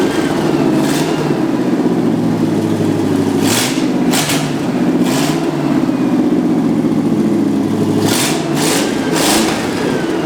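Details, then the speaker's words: 1963 Chevy C10 small-block Chevy V8 under restoration, not run in a couple weeks, loud: idles evenly, then picks up cleanly on quick blips and settles smoothly; normal revving. "So we want to let it rev up for you guys and let you hear how good it sounds."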